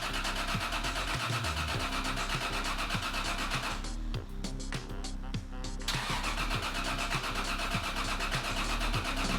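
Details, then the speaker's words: Single-turbo Toyota Supra project after a new igniter was installed: the starter churns the engine over steadily for several seconds but it never catches or fires. Crank, no start, no spark. "once again no dice then I heard the supercharged sounds of deand which meant that Peter was here with the new igniter new igniter in let's see if it [Music] starts and that's a no which means we're out of ideas"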